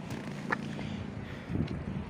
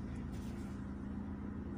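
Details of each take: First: SEAT Leon mk1 1M 1.8T with new TiAL blow-off valve: uneven idle with irregular chuffing hiss turning into steady airy leak when revved; valve seems to stay open and not seat, spring to be swapped. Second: SEAT Leon Mk1 1.8T with TIAL blow-off valve, original spring refitted with shims after the valve had leaked: steady, even idle hum, constant low pulse, no hunting, surging or misses; revs now hold instead of dropping, running smoothly.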